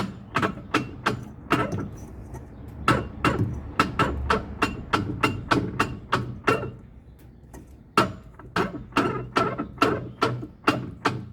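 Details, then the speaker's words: LTE09 washing machine during agitation, heard from underneath at the drive mechanism: sharp regular ringing knocks about twice a second, louder with water; likely the ratchet bearing, mechanism needs maintenance; knocking during agitation. "Então o barulho está aqui na parte de dentro, provavelmente no rolamento catraca."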